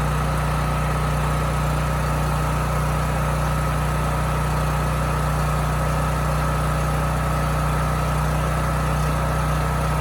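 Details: Homelite generator that hunted and surged at no load, running again: smooth, even low drone with no hunting or surging; holds constant speed.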